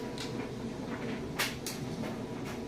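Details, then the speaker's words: GE electric dryer on timed dry with wrinkle care off, warming toward 115–125°F at 70°F outdoor temperature: soft steady rumble with a couple of light taps, no scraping or thumping; running smoothly and quietly, normal operation. "I just put it on time dry but start it up seed run smooth it's nice and quiet"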